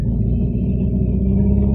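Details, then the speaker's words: 2013 VW Jetta single-overhead-cam four-cylinder at 80,000 miles idling with deep uneven thumping, running on three cylinders after engine protection cut off misfiring cylinder 1's injector; dead cylinder. "running on three cylinders right now due to an engine protection system cut off of cylinder 1 why did it cut off cylinder 1 well because it was misfiring"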